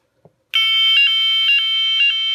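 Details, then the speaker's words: Fire alarm manual call point wired to battery and siren, contact actuated: faint click then loud piercing electronic tone warbling about twice a second, stops when released; siren working normally. "ça sonne. Quand je l'enlève, ça sonne plus."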